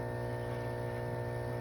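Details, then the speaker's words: 500 gal/day septic diaphragm air pump after replacing torn diaphragms: steady even electric hum with constant low buzz, no rattle, knock or flutter; running normally. "And there she is back on the pump just running like she should."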